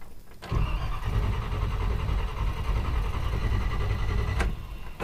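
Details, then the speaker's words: Classic Buick on a Route 66 trip, plenty of fuel: steady cranking for several seconds never fires; spark lost completely, owner suspects the distributor. Crank no start, no spark. "So we don't have spark. Lost spark completely. Why did we lose spark?"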